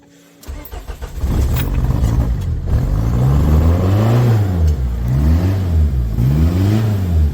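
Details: Talbot Express with 2.0 HDI Peugeot DW10RHY diesel swap, original gearbox, 20 psi boost, BMW R70 pump, MR2 intercooler, loud lift pump: brief crank, catches, smooth repeated revs, no knock or misfire; not smoky, runs clean.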